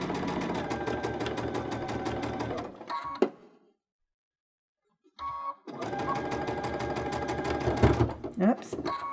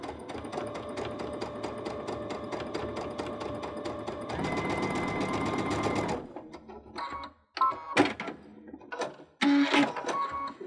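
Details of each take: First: Baby Lock Unity sewing with a 3-groove pintuck foot runs in fast bursts with a heavier, uneven thumping as the cord catches under the foot and the needle sews through the extra thickness. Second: Baby Lock Unity sewing pintucks with the 3-groove pintuck foot, a 3 mm twin needle and cord: fast, even stitching chatter for about six seconds at a steady pitch, then stops; the machine is sewing normally.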